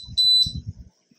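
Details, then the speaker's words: YoLink water-level alarm with float sensor on a home aquarium: one sharp high beep over pouring and splashing as water is added. Low water alarm; beeping stops after the float rises once enough water is in. "so anyhow it's now beeping it's letting you know that hey you need to fill it up with at least a gallon of water"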